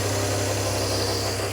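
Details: Barn-find rear-engined Czechoslovak Skoda petrol engine, long stored, on choke; excess fuel burning off at the rear. Steady, even note at raised speed, no misses or knocks; fast idle on choke.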